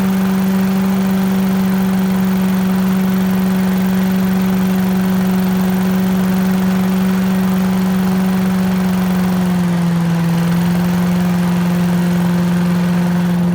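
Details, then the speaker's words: 1980s Billy Goat vacuum after draining turpentine-smelling old fuel and refilling with fresh gas, weak spark: small single-cylinder holds smooth even drone, easing slightly at end; runs well once started, needs extra pulls, owner suspects low compression. "well folks hey looks like it works looks like it just uh I don't know needs a few extra pulls maybe low compression or something but runs like a champ once it runs"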